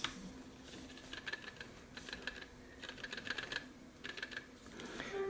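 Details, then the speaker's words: Sony h.ear on MDR-100AAP headphones: quick bursts of dry light clicking from a driver rattle in the right cup; the left cup has no such problem. "That's the driver rattling on the right cup."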